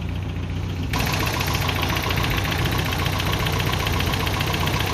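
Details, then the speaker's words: Toyota pickup with a 22RE engine, first run after installing a computer, timing not yet set: engine catches and idles with an uneven, lumpy beat, light knocking and exhaust popping, still shaking; owner suspects the timing needs dialing in. "still shaking a little bit, but other than that, it's probably because I need to dial it in time a little better, because I literally have not done that on spec yet."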